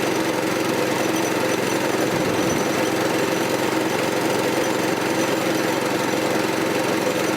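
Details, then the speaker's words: 1984 Troy-Bilt tiller with a 6.5 HP 212cc Predator engine, after a replacement spark plug (two old plugs bad): fast, even firing with no misses or stumbles; running normally. "Sounds like it's running fine. We'll go with that spark plug for now."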